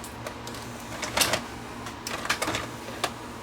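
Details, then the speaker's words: Sharp VC90 multi-system VCR, top cover off, worked one day and not the next: motor whir with clicks and clunks as tape draws in then kicks straight back out; owner suspects the cassette isn't being detected; cassette ejects immediately after loading. "I would think it's not detecting that the cassette is in."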